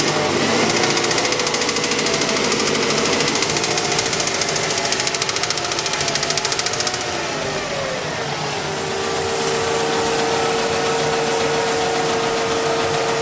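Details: Mazda 6 engine at idle with a sharp, steady metallic ticking knock about three per second riding over the run; owner asks what the knock is and what causes it, source unclear.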